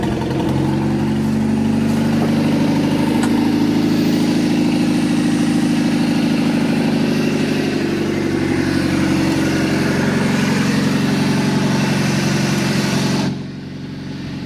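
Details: Junkyard Chevrolet S10 pickup after fitting new distributor and cap: fires and settles into a steady, even idle with a firm low rumble and no misses or knocks; running fine after repair.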